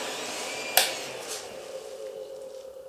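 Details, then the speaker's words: Creality CR-10 Mini 3D printer control box with three cooling fans, one with a faulty bearing: steady airy whoosh, thin constant whine and a click at switch-on; the fans run loud. "as you can hear it's quite noisy when it's turned on and lately when I have powered up my 3d printer I also hear that one of the fans inside the control box has a faulty bearing as I'm sure you can hear on this video clip"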